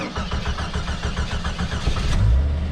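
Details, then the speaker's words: 1989 Jeep Cherokee XJ, recently bought, fuel pump probably audible: steady cranking pulses about six a second for roughly two seconds before it catches and settles; takes a second to start. "takes a second to start"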